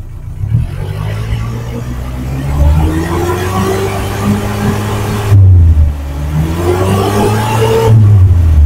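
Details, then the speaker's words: 2007 Suzuki Carry Futura pickup, 1500 cc fuel-injected, with a racing silencer. Deep, loud exhaust climbs smoothly through two rev pulls to 3000–4000 rpm and drops back cleanly, with no knocks or rattles; normal. "Saya rasa ini saya udah naikkan di RPM 3000, 4000, itu suaranya masih normal, tidak ada suara yang janggal."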